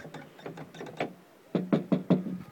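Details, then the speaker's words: Mazda 3 interior door handle, stock, before fix: each pull gives a hollow clack with a short rattle, handle loose in its mount, rattle also heard with music playing; loose interior door handle rattle. "Дребезг ручки очень отчетливо слышно, когда музыка играет и когда открываешь. Ручка болтается, дребезг слышен."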